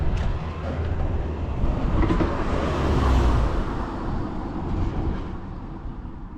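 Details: Vintage Honda Lead 90 scooter (HF05-1025) running check: low even drone swelling and easing slightly, no knocks, rattles or ticks; quiet engine, normal running.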